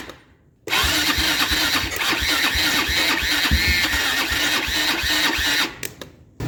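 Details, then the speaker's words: Abandoned Kymco Mongoose 250cc liquid-cooled CVT quad, engine left open for years, first start attempt: fires and stumbles unevenly, surging and sagging before cutting out; rough running, choke seemed to help. "needs a little more help I think the choke was actually helping"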